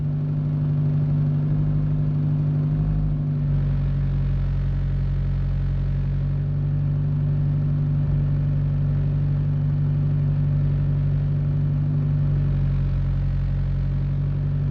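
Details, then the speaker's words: High-power Mitsubishi Evo IX, cold start on a 30° day, warmed up at idle: uneven loping beat with a regular dropped pulse; cylinder 3 misfiring, spark plug and coil pack ruled out, injector swap next. "oh there it is I can feel it coming around okay we are misfiring now what cylinder is going down number three"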